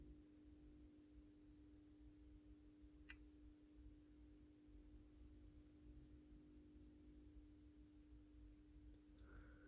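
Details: AEG Minikoffer West German post-top mercury vapor streetlight (80/125 W) on its first startup after rewiring per the ballast schematic, 125 W Osram Deluxe bulb. Faint, steady low hum at one even pitch, no buzzing: normal choke ballast hum.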